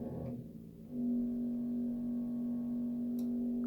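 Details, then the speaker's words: Radiator heating valve with thermostatic head: as it warms, the head nearly closes the valve and a steady low musical hum sets in, lasting until the valve fully closes. "такого происходит оно прогревается термоголовка прикрывает термо клапан начинается гудение"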